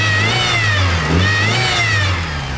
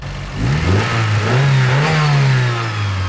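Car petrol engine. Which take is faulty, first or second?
first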